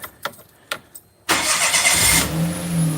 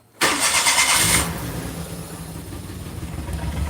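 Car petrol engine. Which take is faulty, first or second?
second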